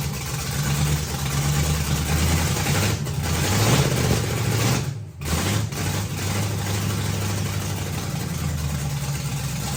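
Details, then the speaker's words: 1957 Chevy with a hot-rod 327 V8 replacing an LS, first start in 15 years, run briefly with no transmission lines or coolant and a poor carb; deep lumpy cam-lope idle with one brief blip and dip, running steady; normal idle. "oh my God it sounded so good oh that sounds 10 times better than the ls ever sounded"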